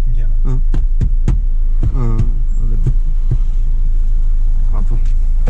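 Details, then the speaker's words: Maruti Swift VDi diesel on a Sunday drive: irregular dull tuck-tuck knocks, roughly three a second, over a low steady cabin hum, traced to door-side trim fitting that is not seated properly. The occupants think damping it would fix it. "அந்த டக் டக் அது அந்த இதுதான் ஒழுங்காக seating ஆகல, அதுலேருந்து தான் sound வருது."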